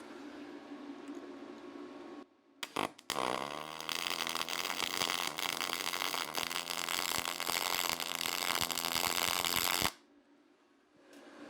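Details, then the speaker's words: YesWelder YWM211 MIG welding aluminum with spool gun, long stick-out, nozzle clogging: a few sputters before the arc catches, then uneven popping crackle through the bead; hard arc starts and erratic arc, but weld looks nice. "Arc is pretty erratic but it it does do a pretty nice weld you just got to kind of get used to that sound"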